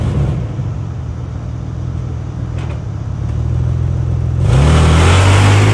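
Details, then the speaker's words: 2001 Isuzu VehiCROSS with a known exhaust leak: steady idle opening into a loud raspy roar as it revs, hiss climbing with throttle; exhaust leak makes it noisy. "it does have an exhaust leak i got to get thick so it's kind of noisy"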